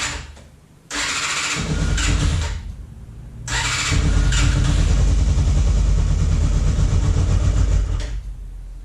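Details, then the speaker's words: Free motorcycle, carb tops cleaned: crank bursts, then a low uneven lumpy run barely holding on full choke; starts only on full choke and won't run cleanly, puffing some smoke. "So it'll start on full choke, but then you can hear it's just idling over. Whether or not it'll start is questionable at this point."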